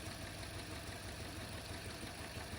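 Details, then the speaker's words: 2013 Toyota Corolla (ZRE152R) 1.8 2ZR-FE automatic idling with VSC and engine lights on, engine shaking; rough, uneven idle with a stumbling low exhaust beat heard at the exhaust and front, a misfire traced to a failing ignition coil. "Yeah, the exhaust here, hopefully you can hear it. Where's the exhaust? Here. Yeah, it's like misfiring also. And show you here at the front. Yeah, it's misfiring."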